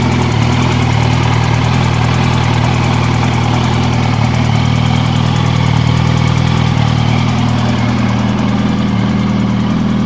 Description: My Yamaha R1 '06 has 19,000 km. I have the ticking noise up towards the cylinder head. You can hear the noise after the first minute until the end.